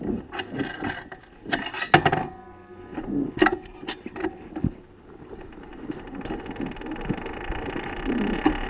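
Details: 2014 BMW F800GS Adventure coasting downhill off-road with the engine off: irregular sharp front-end clunks and rattles over gravel rolling noise. Damaged steering head bearings were the cause; new bearings made it quiet.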